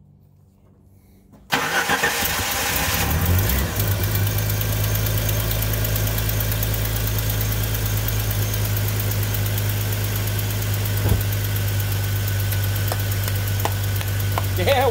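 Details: Jeep Grand Cherokee starting right after a new replacement battery goes in, because the Optima Redtop died in under a year: short crank catches immediately and settles into a smooth, even idle; normal healthy start.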